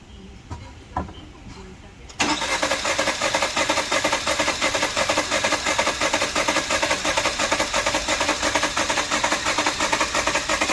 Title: 2019 Jeep Cherokee 2.4l Engine misfire Low compression cylinders 4 Code P103E Karcheckz